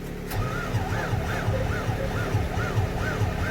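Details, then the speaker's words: Fendt 720 tractor cold start in cold weather after glow-plug heating, with low antifreeze noted: slow, even cranking at about three beats a second with no firing. A hard start with prolonged cranking; the cold is suspected. "you see that vessels don't like it doesn't like the cold this tractor does not like the cold"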